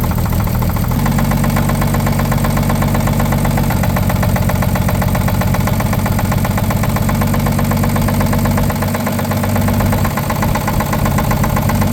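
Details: 1950 Chevrolet 3800 one-ton with Chevy 235 inline six, abandoned since 1977, idling with steady low rumble and faint regular knock underneath; full 60% oil additive did not remove it: worn babbitt rod bearing knock.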